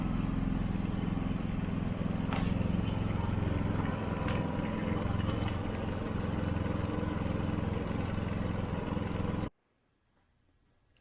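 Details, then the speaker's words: Harbor Freight Predator generator running outside just after an oil change with ZDDP oil and a magnetic drain plug: steady, even low rumble at constant speed, no misses or knocks, then cuts off. Normal running. "Everything looks good and sounds good. So we'll let that run for a couple of minutes."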